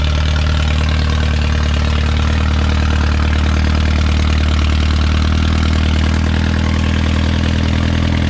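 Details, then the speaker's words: Original Renault 4CV engine (circa 1949-52, welded cracked block) reassembled after ~70 years in parts, first successful run, warming up: deep, even idle thrum with a smooth steady beat, no knocking or misfiring; hardly any exhaust smoke. "now we need to put it on a dyno though it's probably got more horsepower and you know it's not even smoking much"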